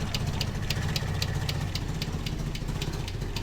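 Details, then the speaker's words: Austin Metro GTA, abandoned car just revived and back on its wheels, at idle: sharp light tick about four times a second from the top end over an even idle; cause not yet found. "Got a bit of a ticking going on. Can you hear a ticking noise somewhere up here, I believe?"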